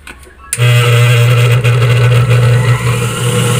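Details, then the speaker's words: Sewing machine motor after replacing a faulty capacitor: quiet, then the motor kicks in at once and settles into a steady low hum with no hesitation; normal motor start. "el motor está funcionando a la primera"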